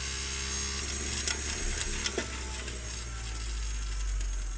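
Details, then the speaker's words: Brüel & Kjær WA 0155 balancing demo unit overspeeding: thin high whine and rapid uneven ticking as motor runs far too fast; no overspeed protection, speed regulation runs away when the feedback signal is missing; bent shaft, unbalanced. "is not good that sound actually always a little bit afraid I don't know respect stuff that rotates I'm just saying because that was quite fast"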